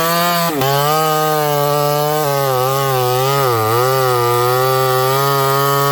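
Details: Ported Homelite 922 chainsaw after clutch and fuel line repair and cooler heat-range plug, cutting very hard wood: clean, steady high-revving scream under load, dipping only slightly in the cut; crisp, healthy cutting.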